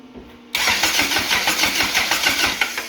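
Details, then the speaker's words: Lotus-engined Toyota Hilux swap, first runs, TPS possibly unhooked: engine runs lumpy and wobbly, about three uneven pulses a second, spraying, pulleys and power steering wobbling; fueling but not fully, misfiring, cause unconfirmed. "Dude, this is so wobbly. It's spraying. Oh, that's pretty bad. Yeah. Alright. Well, at least she's starting. We just gotta fine tune some things."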